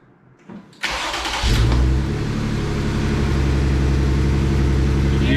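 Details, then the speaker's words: 2020 Jeep Gladiator 3.6 at idle after starting: uneven, lumpy beat with a stumble about twice a second; code P0302 shows a cylinder 2 misfire, and the check engine light flashes when driving; the coil pack was last touched, cause unconfirmed. "on the way to pick up the new 392 hemi for the jk the jeep gladiator started having a horrible cylinder number two misfires cassie start it up show them what it sounds like"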